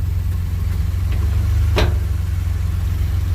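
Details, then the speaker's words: 2016 Ford Expedition: a sharp metal-on-metal pop or bang, like a hammer hitting metal, when shifting between drive and reverse, heard from a steady idle. The source has been identified; the exact cause is unconfirmed. "ut it in reverse and drive it makes a popping sound and uh i need to get up under here and try to figure out exactly where the sound is coming from"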